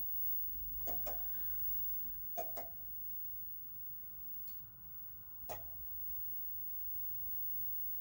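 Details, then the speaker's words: Aurora Power-One grid-tied solar inverter that had an earth fault shocking its heatsink fins, starting after earthing checks: paired sharp relay clicks a few seconds apart over a faint hum; relays pull in normally. "It takes a few seconds. So I should hear the relays coming on now. There it goes."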